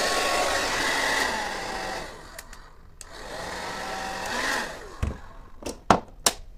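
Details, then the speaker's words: Hair dryer opened and checked, impeller seated, test-run at second speed after fixing a crackle/rubbing noise: smooth, steady motor and fan whoosh cutting off cleanly between runs, no scraping or rattle; runs fine. "включаем на вторую скорость и в [аплодисменты] всё на второй скорости никаких задиров нету всё работает отлично"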